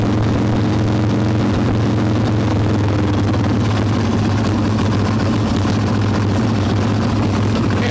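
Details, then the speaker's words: Harley-Davidson Evo Softail V-twin, warm, no choke, carb loose with choke plate off, mixture screw around one turn out: steady heavy low idle rumble with an unsettled lumpy beat; intake air leak, later traced to loose intake bolts and cracked vacuum cap. "come back out here and keep messing with this definitely have a leak on the intake somewhere and we'll try and get this started"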